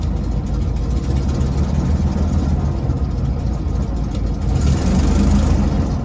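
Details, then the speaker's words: 1968 Baja Bug transaxle before overhaul, engine just started, in neutral with clutch released: low uneven droning rumble that disappears with clutch pedal pressed; owner suspects a damaged bearing, noise also occurs at low driving speed. "Okay, I just started the motor. I'm actually stepping on the clutch and it's neutral, so I release the clutch. Yeah, this is the noise."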